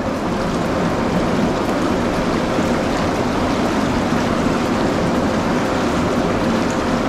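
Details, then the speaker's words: MSpa Alpine Delight inflatable 4-person hot tub in a basement spa area, water heated to 40 °C, bubble function switched on: loud, steady rushing and bubbling with no rattles or surging; normal bubble blower operation, just noisy. "Vous pouvez entendre la fonction de bulle."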